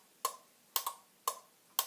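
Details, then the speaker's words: Car alarm demonstration board, alarm set off by the shock sensor: crisp relay clicks about twice a second, some doubled, as the lights flash; the output relay cycles with each flash, with the siren replaced by a multimeter. "You see, lights are flashing. It's clicking."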